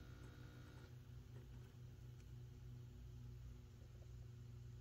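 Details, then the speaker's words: Peavey Valveking MK II 100 W head: steady low mains hum with buzzy edge through the speaker from the XLR DI output's pin 1 floating via 9 kΩ; silenced by jumpering that lead to chassis ground. "it goes away so the solution for fixing that sound is simply to connect that lead to chassis ground"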